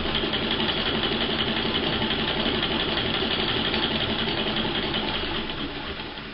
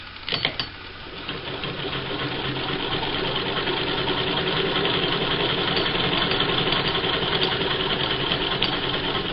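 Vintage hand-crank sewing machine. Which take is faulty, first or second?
first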